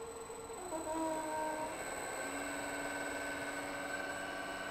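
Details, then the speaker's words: Danfoss high-pressure misting pump after disassembly, inspection and reassembly, running at 10 Hz with a slight inlet-side leak: quiet steady hum, few even tones, no knocking or rattle; noise minimal, like a brand-new pump. "motor so I did put it back together and it is working quite well the noise is extremely minimal just like it's a brand-new pump so that's great"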